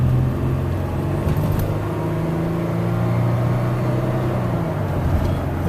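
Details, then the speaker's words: 2007 Toyota Sienna minivan cruising on a test drive after refilling very low coolant with 2 gallons of water; gauge had pegged on H and AC failed: steady even hum under light load, no knocks or ticks; temperature normal, no leaks found. "mean, the engine sounds good. Yes, this may just have been a safety feature with the low coolant level."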